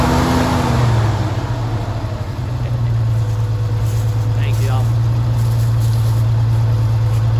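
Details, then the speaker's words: 1978 Chevy C10 base 2WD, carbureted straight six with Monojet, automatic: settles into smooth, even low idle with steady hum, no misses, ticks or hunting; idle great, dislikes load. "Hood stiffener. man, the idle's great."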